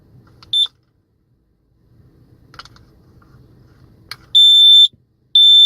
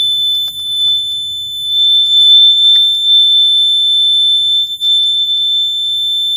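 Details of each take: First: CO/smoke detector after a battery change, with a backwards-installed battery corrected: handling clicks, then loud piercing high-pitched beeps of about half a second each when the test button is pushed. Normal test alarm. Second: Okay, so I might have actually figured this out. I installed one of the batteries backwards, so let's try it again.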